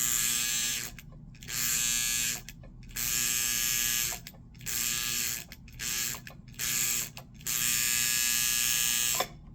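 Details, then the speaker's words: 1958 (owner thinks) Lionel 2383 Santa Fe F3AA E-unit reversing relay, bench-tested via track outer rail to lever after an electrical-tape fix: harsh, high-pitched buzz in 1–2 second bursts. Quieter than before but still loud; further tape added afterward. "Yeah. I don't really have a great before clip, but you heard it running, and it's quieter, but it's still pretty loud."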